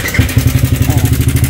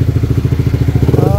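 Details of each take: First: Sniper 155 motorcycle at 19,402 km, idling before repair: a fast, even rattle at about three per second over the idle from a slack timing chain with a failed tensioner; could jump the chain if ridden. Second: Sniper 155 motorcycle at 19,402 km, idling after the faulty timing chain tensioner was replaced with a manual tensioner: even single-cylinder thumps with no ticking or chain rattle; engine now quiet and healthy.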